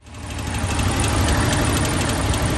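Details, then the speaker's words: Cold 1985 Ford Ranger 2.8 V6 with solid lifters idling after valve lash adjustment: light, irregular metallic pingy tapping from the top end, caused by a pushrod that fell out of place; the bottom end is fine. "there's no bottom end it was just valve lashing with a push rod that fell completely"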